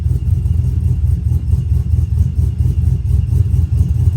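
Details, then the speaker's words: Brian Tooley Truck Norris cam engine idling at 800 rpm, overall idle timing about 26 degrees, over/under timing adjustment about 15 degrees in HP Tuners: low steady hard chop, about one and a half lopes per second, from tuned timing swing. "so this is 800 RPM idle overall idle timing about 26 degrees and the over and under timing adjustment is about 15 degrees"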